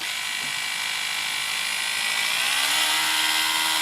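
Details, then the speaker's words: Electric Screwdriver 800 from eBay, speed swept from minimum to maximum on its power supply: high, smooth motor whine holds steady then climbs quickly in pitch near the end because the pot is non-linear; healthy motor. "that's maximum so the pot on the power supply isn't isn't exactly linear you can hearing it right near the end it gets very very the voltage increases very quickly"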